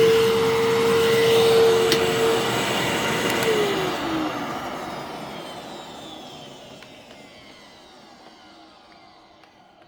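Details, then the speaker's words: Vacuum run only briefly because its cyclone is almost completely clogged with debris: steady, even motor whine that spins down smoothly after switch-off, with no rattle or grinding; the motor sounds healthy and needs only cleaning. "and this one does sound pretty smooth so once I clean that out and give it a little bit of a mini refurb it doesn't really need a whole lot but just a little bit of cleaning it'll be in great shape"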